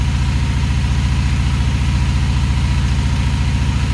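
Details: Honda Magna VF750C with jet kit (larger fuel jets), cold engine warming up: steady low idle pulsing about three to four beats a second, slightly lumpy but even; carburetors out of sync.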